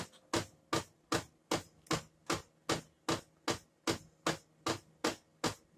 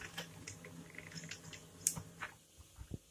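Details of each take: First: Brother DCP-7535DW laser printer running: sharp, even knocks about two and a half a second over its low hum, traced to a broken gear in the drum unit. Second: Brother DCP-7535DW laser printer after replacing the drum unit printing a test page: low steady hum and light feed clicks, the previous cracking/knocking gone.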